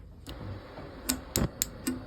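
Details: 1980s Force 10 propane stove after rebuild with a new sparker unit, valves, battery case and gas detection: five crisp dry snaps roughly a quarter second apart in a quiet room; the burner igniter sparks properly.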